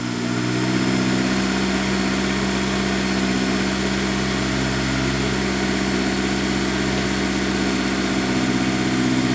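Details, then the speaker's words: Test fire after installing a Moroso weld-in oil pan baffle with trapdoors: engine settles into a steady, even idle with a smooth low hum and no knocking or ticking; leak and oil-level checks to follow; normal idle. "This sounds good so far. I think we're gonna be okay. I'm gonna go ahead and let it idle for a minute, give it a leak check, get under there with my flashlight, and we'll check the oil level"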